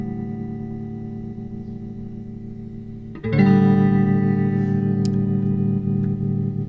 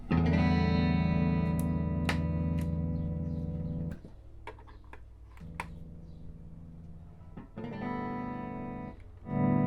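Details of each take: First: 1964 Fender Concert amp during repair: sustained guitar chord with only faint, shallow volume pulsing; tremolo is weak, pointing to a worn LDR. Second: 1964 Fender Concert amp normal channel after cleaning pots and connections to cure crackle: clean sustained guitar chords and notes without crackle, hum or cutting out; background rattle is from the wall, not the amp; channel working normally.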